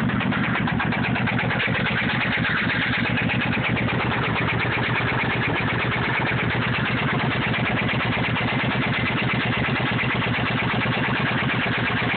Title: motorcycle ticking noise